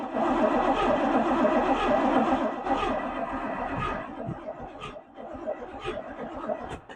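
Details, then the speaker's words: Camaro barn find parked 32 years, first crank with strong oil pressure: V8 cranks in an uneven lumpy gallop, about four beats a second, speeding and slowing, never fires; spark untested, cause suspected, not confirmed. "It's got quite the gallop to it. So as you guys can probably hear, as it's cranking over, it seems to like go good and then it still slows down, good and then it slows down. That's what you call a gallop."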